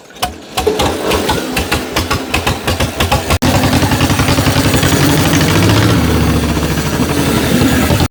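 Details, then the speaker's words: 1949 John Deere Model M tractor, very cold weather, cold oil, hand-cranked because the starter failed: slow uneven chuffs, then it catches into a fast steady two-cylinder putter; cold start, running fine. "So it is really cold out here and the tractor is cold, which means all the oil is cold. But we'll see if we can't get this thing to fire up."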